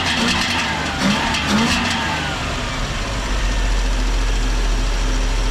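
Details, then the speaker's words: 1968 Dodge Charger with a 318 V8, sat in a field since 1984, running on a swapped distributor with new points and condenser: fairly even idle with a steady low rumble and no knocks or misses. Blow-by is decreasing and it no longer smokes. "oh yeah check it out the blow by is even less now the charger is feeling itself"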